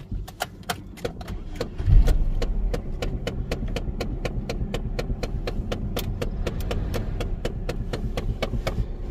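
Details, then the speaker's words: 2008 Pontiac G5 with 166,078 miles, front-end damage and check engine light on: sharp, even clicking about three times a second over a quiet idle. Suspected HVAC blend-door actuator trying to move, not confirmed. "that sounds like a uh um actuator door trying to open in the heating and air conditioning system"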